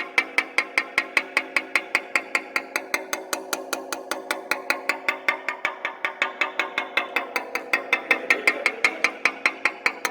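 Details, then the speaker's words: Robinson R44 main rotor blade tap test: light taps about two and a half a second, some crisp, others dull and thudding, revealing an internal void or delamination to be mapped. "I'm just tapping along and there it's a little bit dull that's nice and crisp nice and crisp dull very dull sounding"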